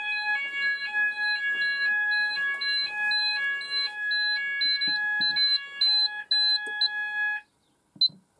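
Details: Apollo addressable fire alarm system test, Discovery detector being triggered: loud alternating electronic tones pulsing about twice a second, then cutting off; sounders triggering properly from the detector test.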